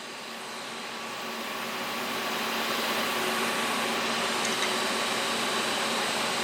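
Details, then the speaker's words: ProTIG 200 TIG welder after fixing a setup error, gas flow set 35–40: steady, even arc hiss with faint constant hum, no popping or sputtering, working much better than before with good gas coverage. "that's working a hell of a lot better than it was before though"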